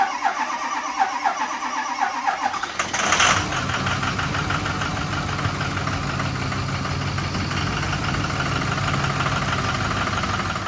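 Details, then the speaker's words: Ford 6.0 Powerstroke diesel after replacing an injector and reassembly, pump primed: brief crank, catches near three seconds, settles into slightly uneven diesel clatter at idle; runs better but injector 7 still needs replacing, fuel leaks present. "We got some fuel leaks. I think it's all coming from the bowl, I hope. And we also need injector 7, so lucky me, I gotta take that apart again."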